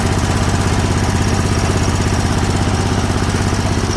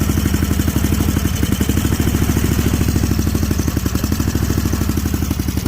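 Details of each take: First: Snapper Pro 48-inch zero-turn mower, running after Seafoam was added to clear a suspected gummed-up carburetor: low, even thumping at low throttle with a steady beat and no misses or knocks; idles smoothly. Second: Snapper Pro 48-inch zero-turn mower at idle: steady low thumping with slight unevenness and dips in the beat; bogging. Owner suspects gummed-up carburetors and plans to treat them with Seafoam.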